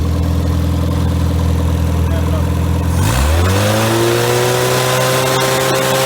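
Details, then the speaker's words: Freshly rebuilt Triumph Spitfire 1500 engine: shaved head, about 9.5:1 compression, .270 cam, new pistons, valve job; idle about 800 rpm, 60 psi oil, about 190°F; fuel pump clicking, smooth idle then clean rev without misses or knocks; normal revving. "so we'll crank it up let you hear it roar so that's fuel pump you hear clicking there about uh 800 rpms"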